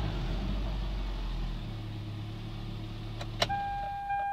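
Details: 2003 Toyota Highlander 2.4L running with a low, uneven puffing rumble beneath the idle and a chime near the end; consistent with an exhaust leak.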